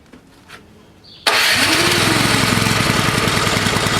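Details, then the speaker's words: Toro Power Clear 621E snowblower, 163cc OHV four-stroke, after its clogged main jet was cleaned: the pull start catches at once into a fast, slightly ragged single-cylinder beat, fuel delivery unsettled. The carburettor still needs proper cleaning; rough running. "runs card needs to be clean definitely"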